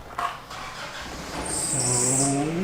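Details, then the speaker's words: Datsun 620 truck, freshly rebuilt from shell over about a month: thin high squeal over the running engine shifting with speed, drive belt squeak; mechanical fan on water pump spins too freely and is dead, electric fan planned. "that's a belt squeak we'll also do an electronic fan because this is dead"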